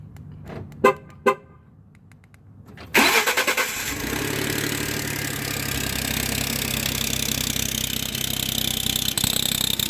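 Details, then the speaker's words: 2012 Ford F-150 EcoBoost on cold start: a few clicks, then the engine catches with a sharp high chirping or squeak over rough idle, also squeaks loudly under throttle on the road; owner suspects exhaust manifold gasket leak, unconfirmed. "so this is a 2012 EcoBoost getting a chirping sound on cold start after reading up to say it's this manifold gasket"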